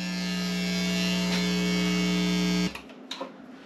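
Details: USB audio mixer setup with several audio sources plugged together: steady low electrical buzz with a bright raspy edge that cuts out abruptly when the speaker is unplugged; ground loop hum.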